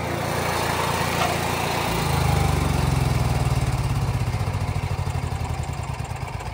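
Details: Onan 4000 watt RV QG generator running after tune-up (new air filter, carburetor, spark plug, oil), previously surging and hard starting: even low drone settling after a brief rise, no hunting; runs healthy.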